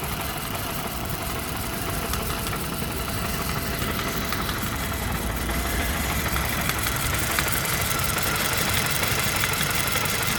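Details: Volvo with Mazda/Ford Duratec engine, codes P0302, P0352, P0400: uneven lumpy idle with irregular stumble every few beats, suspected cylinder 2 misfire; cause unconfirmed.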